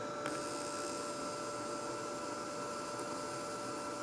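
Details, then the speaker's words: SunSpot prototype fault locator applying high voltage to a deeply installed cut wire: a light, steady electrical buzz with a thin constant tone as about 250–300 volts sparks across the break. "there's a lovely light buzzing sound that sounds like it's a it's the right sound for it to be sparking"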